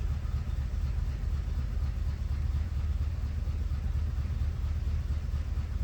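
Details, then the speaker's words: 1988 or 1989 Corvette C4, sat over winter, first start after rewiring a connector: deep, uneven, lumpy idle with no steady beat, running rough with a misfire; cause not confirmed. "Doesn't sound like it's running great. There we go. Well, it runs. Doesn't sound like the happiest thing on earth, but let's see what happens once it runs a little bit and actually gets some life back in it. Okay, it's kind of running. It has a misfire to it."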